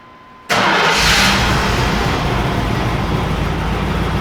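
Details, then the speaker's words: Shop truck just after an intake gasket replacement, with no stored codes but the check engine light on: it catches instantly and flares, then idles slightly rough while smoothing out. The owner suspects some water got where it shouldn't. "not too bad it started up just a bit rough and now it's just trying to smooth out so i'm sure i've got a little bit of water in some places that don't need to be here"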